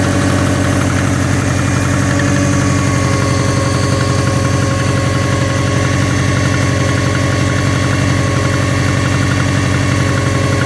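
Steady idle with a sharp, even knock riding on top at roughly four per second; a clear engine knock of unknown origin.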